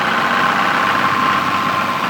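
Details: Stock Toyota Supra MK3, 200,000 km, burning about 1 liter oil per 600 km; under acceleration a steady high whine rides over the engine note; owner suspects valves or injectors, cause unconfirmed.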